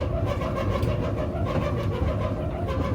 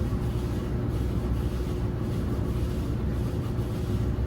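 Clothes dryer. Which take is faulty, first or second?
first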